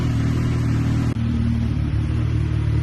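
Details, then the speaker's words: K9 Suzuki GSXR 1000, neglected police-auction bike with a Yoshi pipe: steady, even low idle with a smooth exhaust note and no rattle or knock while warming up. The engine runs normally. "Okay, as you can see, it's running good. It's not rattling. It's making GSXR sounds. Yeah, let's let it warm up for a minute."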